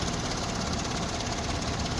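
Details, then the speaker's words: Toyota Belta with 4R ECU: coarse, shaky idle with a dull drone and uneven vibration right after start; idle rpm set too low, so the engine shudders. Fix is flashing a new ECU file that raises idle rpm slightly. "Engine बहुत ज़्यादा वाइब्रेट कर रहा है।"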